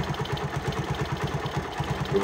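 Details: Honda CD 70 single-cylinder motorcycle, with timing chain roller and chain wear under discussion for engine noise: settles into an even putter of about ten beats a second with no tapping or rattle on top, a healthy normal idle.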